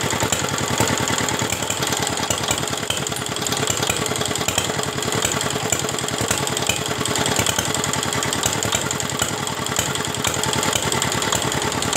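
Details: Diesel R175 single-cylinder after rebuild (broken bearing balls found earlier), first test start after refilling oil and water: rough running with loose, rapid knocking each revolution, never even despite injector timing adjustment, then dies; cause unconfirmed.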